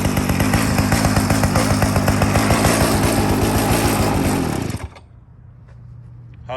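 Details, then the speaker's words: Restored 49cc mini chopper, first start while still cold: small single-cylinder buzzes fast and even, about four pulses a second, for several seconds before cutting off; healthy cold start and run. "49 cc mini chopper ready to go needs nothing but a new ride in the owner let's heavy crank first start still cold"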